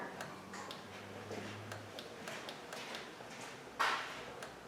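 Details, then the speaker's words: 2005 Honda Accord 3.0, high mileage, no wiper function: key on, wipers on high, arm jiggled; faint dry relay clicks, no motor hum, wiper motor dead. "i'm just going to jiggle the arm sometimes if a mortar is just bad it's like a starter motor you know you smack it with a hammer okay i hear relays clicking out here"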